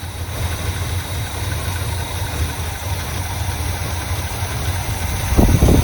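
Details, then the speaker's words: 1979 Chevy Scottsdale V8, unrun for about two years, new starter, needed starter fluid to fill the bowl, accelerator pump leaking fuel: steady even low rumble with no misses, knocks or hunting; normal idle with about 50 psi oil pressure. "it wouldn't it wouldn't uh fill the bowl until I put some starter fluid in it but I mean it sounds good got about 50 lbs of pressure oil pressure"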